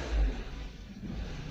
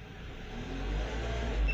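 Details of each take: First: Renault Duster after LPG installation, running on gas: low uneven idle that sags and surges, nearly stalling and rattling, unlike on petrol where it holds revs; the gas system still needs tuning. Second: Renault Duster with newly installed LPG and cabin switch button, running on petrol: revs smoothly with a steady low drone and no misfire; engine evens out and runs fine on petrol.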